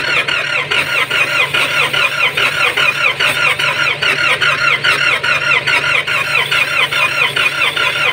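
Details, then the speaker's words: Nissan Patrol ZD30 diesel with no compression, hot and cranked without glow-plug heat (heater not working): steady fast starter whirr with even cranking pulses, no firing. Hard cranking from low compression; it later started after oil was added. "Op ang tigas naman eh kasi wala tayong ano hindi naghi heater to"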